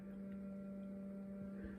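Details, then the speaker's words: Samsung refrigerator less than a week old making steady, loud low-pitched hum audible from across the room and getting louder; owner suspects ice maker, source not pinned down. "the samsung less than a week old loud refrigerator and i've been really going crazy with it"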